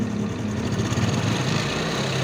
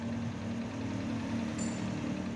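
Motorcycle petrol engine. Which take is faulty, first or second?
first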